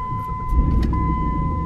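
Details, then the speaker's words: Jeep Grand Cherokee with hydraulic power steering at 147,000 miles, idling after a power steering problem: a steady high whine over the idle, a new noise that is expected to go away. "can hear that wine alright guys hopefully you were able to hear that it's just something new it's a new noise but it is supposed to go away"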